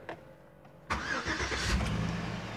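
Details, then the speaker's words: 2007 Chevy Tahoe LTZ 5.3L after a P0641 shorted 5V reference circuit repair, with codes cleared. Brief crank, then it fires straight into a smooth, steady idle and revs with the throttle. It starts normally. "started with no prong now let me press the the accelerator and you will hear the uh hear the engine Rev there you go now it's working properly"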